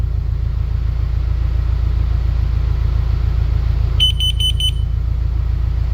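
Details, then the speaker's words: Carbon monoxide alarm test: four quick shrill beeps over a steady idling engine rumble. The reading hit 990, then falls once the alarm is moved away, and beeping continues until it reaches zero. Carbon monoxide alarm sounding. "It's getting lower. Lower. And once it gets zero, it'll stop beeping."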